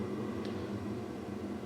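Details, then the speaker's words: Diesel heater in a truck camper just switched off from level 1: the pump has stopped and only a steady low fan hum remains; the glow plug comes back on to burn off residual fuel during the normal cool-down cycle. "Now it's in the cool down stage, which the fan is going to ramp up in a second here. You can hear the glow plug kicked back on to burn off any residual fuel."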